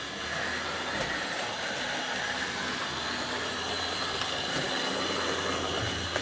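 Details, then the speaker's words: Old Hornby R857 BR Ivatt class locomotive (no tender), after repair, running on track: gritty, rough grindy whirr under the motor with faint clicks, jumpy over points from old wheels — worn rear axle bearing. "it's a bit grindy sounding so i think i'll maybe have another fiddle with this and see if i can just get a wee bit quieter"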